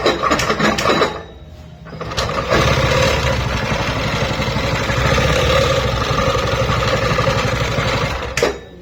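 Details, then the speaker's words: New TVS Jupiter BS6 125 scooter: a harsh, uneven clattering rattle over the engine drone, heard on self-start and while riding. The clutch was opened and its splines/grooves were found worn out. "तो दोस्तों आपने इसकी आवाज सुनी है कितनी बुरी इसमें आवाज आ रही थी सेल्फ मानने में भी और गाड़ी को चलने में भी ऐसी आवाज आ रही है"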